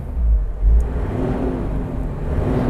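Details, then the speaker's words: Toyota Land Cruiser VX 80 six-cylinder engine revved to about 1800–2000 rpm, running smooth and even with no misfire, no jerking or shaking; normal engine rev without misfire. "Lalu kita putar gas hingga sekitar 1800 hingga 2000 RPM, dan tidak terjadi misfire. Tidak ada kesalahan penembakan. Mesinnya tidak tersentak. Tidak ada guncangan."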